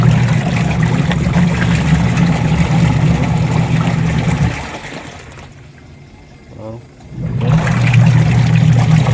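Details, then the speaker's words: Washing machine with a newly fitted replacement motor (150 W, 10 µF capacitor), tested with water. A loud, steady low hum with a rapid churning pulse, cutting out briefly mid-clip; the motor runs but is too noisy. "Okay na guys Ayan motor natin yan masyadong maingay guys yan"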